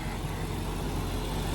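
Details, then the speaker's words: BMW E39 540i V8 (6-speed) idling in neutral after new timing chains and guides, a full reseal and a Vanos reseal with the Bijan kit: even, steady idle with no chain or Vanos ticking, only a slight belt squeak noted; healthy. "as you can hear, there's not really any abnormal noises. Vanos is nice and quiet. Timing chains sound good."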